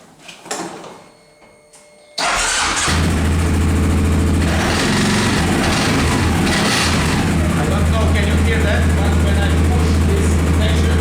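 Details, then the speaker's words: Engine start settling into steady idle with a thin metallic buzz from a loose exhaust heat shield, heard before the fix; the noise bothers the owner while driving. "The heat protection making some weird noise and it's very bothering me when I drive."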